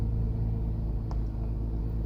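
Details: 2011 Dodge Journey, about 100,000 km, idling after the missing oil bypass valve was fixed and an oil filter change. Quiet, low, steady rumble with no knocking, ticking or roughness; engine healthy.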